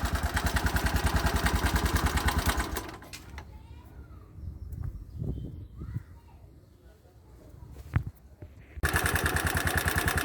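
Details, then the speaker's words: 2020 Bajaj Boxer X150 motorcycle at idle: sharp, regular tapping over the exhaust beat, a loud top-end knock; loose tappets were suspected and adjusted, and the engine was later opened, finding a worn piston rubbing the cylinder walls. "all right guys after leing at my mechanical friend we had to figure out on which could be the possible cause for the knocking sound from the engine"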